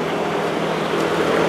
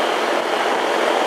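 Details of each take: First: Residential AC unit with no cooling; only a steady airy fan whoosh with no deeper compressor hum; compressor not running, in thermal overload; capacitor suspected, then found bad; evaporator coil also leaking. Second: hey hey that sounds better sounds like we got a little compressor action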